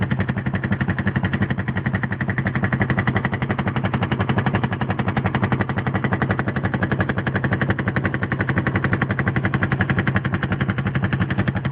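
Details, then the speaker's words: Suzuki GS500 motorcycle at idle: sharp, rapid, evenly spaced rattle-like pulses that don't change; owner has no idea what the abnormal engine noise is. "okay I've got some weird engine noise going on with my GS500 you guys can listen to it and help me figure out what it is"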